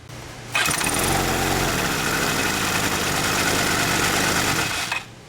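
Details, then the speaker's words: Yamaha Vino 125 scooter after starter clutch replacement (old one ground or failed when hot), battery reattached, oil low: starter whirs briefly, engine catches and settles into quick steady idle for about four seconds; starting normally. "I'm gonna reattach the battery and fire up the scooter to watch these things work before I start riding it."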